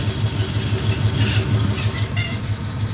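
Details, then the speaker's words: Rattle at idle with exhaust rumble: the idle thrum pulses about three times a second with a light metallic buzz on top. Owner suspects the power steering, source unconfirmed; a passenger-side exhaust leak at a missing aftermarket flange is also present. "that's the noise I'm trying to get fixed today I don't know it sounds like the power steering you tell me"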